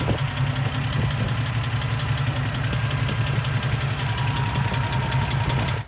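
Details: Toyota Land Cruiser FJ60 freshly rebuilt engine at first start: steady quick ticking knock over idle, even rhythm until shutoff; knock at idle, cause unknown.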